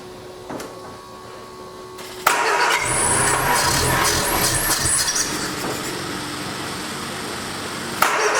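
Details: 1979 Triumph Spitfire, sat about 20 years, fast steady cranking without catching, no fuel; unsure whether fuel pump not keeping up or carburetor needle and seat stuck; slide works, fuel delivery issue suspected.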